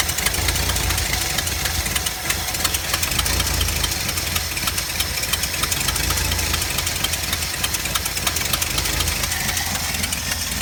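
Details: 4.9L engine at idle: loud, uneven, stumbling beat with irregular knocks; owner suspects a misfire on cylinder 1, not confirmed.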